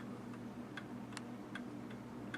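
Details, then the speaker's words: 1807 Gilbert mantel clock after restoration (pendulum bob from a Model T bearing), fully wound and running perfectly; crisp, evenly spaced ticks about every 0.4 seconds in a quiet room, a steady, healthy beat. "all right guys it's all wound up it's running perfect sounds good"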